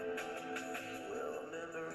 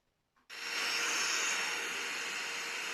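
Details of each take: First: Self-repaired radio receiver tested with a soldering iron used as the antenna, hiss at first then music playing clean and steady with no hiss or dropouts; normal reception. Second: Portable radio receiver with an 18650 battery, switched on with the case open: an even, steady hiss with no station coming through, because the internal wire to the antenna is broken.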